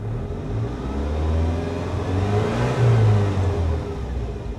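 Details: 1988 Saab 900 Turbo that sat for decades, now running after repairs: engine climbs smoothly through a rev and settles back, pulling clean and even with no stumble or flutter; normal revving.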